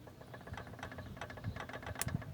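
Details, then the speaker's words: Peugeot 206 1.0 16-valve: quick, light, regular tapping over a rough idle that seems to come from the top end, actually loose connecting rods from worn rod bearings giving play; rod knock. "quem sabe quando você liga o carro e fica aquele tech tech tech tech tech tech batendo lá em cima então esse tec tec tec lá em cima o caso ele tá aqui em baixo"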